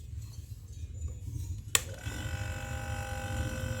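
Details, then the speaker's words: Refrigerator compressor starting on its original overload and PTC after repair of a not-cooling, stalling compressor: sharp relay click then steady low hum with faint even whine; current dropping from 0.95 to 0.8, running normally. "Nah, ini sudah jalan dia. Ini di 0,95 91 0,8, makin dia turun berarti kulkas ini sudah kembali normal dan awet lagi, mudah-mudahan ya."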